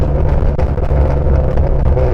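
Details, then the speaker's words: Catless V6 Mustang (catalytic converters removed), heard from inside the car while downshifting: deep rumbling exhaust with a raspy edge and scattered crackles and pops as revs drop; loud rasp from the catless exhaust. "But the thing I do like about this, sure, it sounds terrible when you're accelerating, but I love just downshifting. Listen to this shit. Isn't that crazy?"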